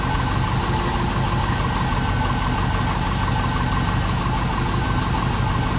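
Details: Ex-NZ Army V8 Land Rover, 24 V, after replacing military ignition with Mallory coil, optical unit, cap, rotor and ballast resistor, first test run: steady even smooth idle, no misses, keeps running with choke off immediately, massive improvement.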